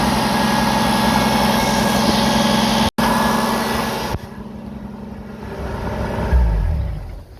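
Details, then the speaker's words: Jeep CJ-7 started to leak-check the exhaust after a wideband O2 sensor bung was tack-welded in: steady, even idle with no puffing or ticking from the exhaust; the weld doesn't leak and the engine sounds healthy. "Okay, I don't know if you could hear my cackle of glee, but that doesn't leak."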